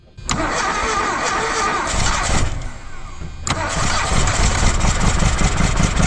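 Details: 1982 Dodge Charger 2.2, unregistered since 1990, plug wires repositioned, carburetor primed by hand since the used fuel pump doesn't work: cranking fires raggedly, runs rough and uneven without settling to idle. Cause suspected, not confirmed.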